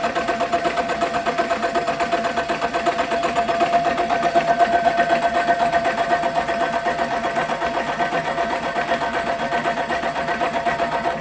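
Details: Caterpillar 3406E haul-truck diesel, rebuilt and re-engineered for a different application, first shop-floor test run after fuel priming with zero active codes: steady, even idle at about four beats a second, no knocks or misses; running healthy.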